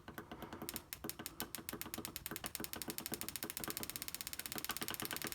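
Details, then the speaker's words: Coil-on-plug ignition coil on a bench, 12 V supply and ground, triggered by a signal generator at about 5 Hz: sharp, even snapping sparks at a steady rate, none missing; coil firing cleanly. "so you can certainly hear it it's sparking away so our coil assembly has the 12 volts supply of course a ground and the little signal generator is actually applying a five hertz signal"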